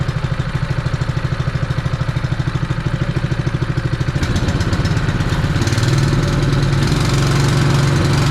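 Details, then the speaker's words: Honda fire pump engine that had sat unused for over two years, idling cold after being revived: a small single-cylinder engine pulsing steadily, then picking up speed. Running rich; the carburettor could be dirty. "Sounds good. It's running a bit rich, which the carby could be dirty."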